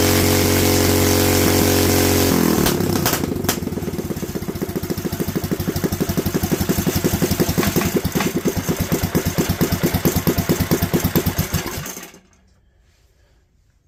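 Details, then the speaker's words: Predator 212 single-cylinder engine carburetor jet test: catches and stumbles unevenly as revs fall, then cuts out; leaning out on deceleration, to be rejetted up to 98 main jet. "as you can hear we've got some lean out when it comes down we're gonna up it to the 98 jet"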